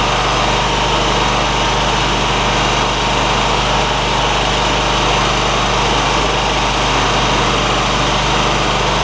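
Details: John Deere ZTrak zero turn, Kohler V-twin, sat 2 years: even steady drone, no stumbles or surging; running smoothly.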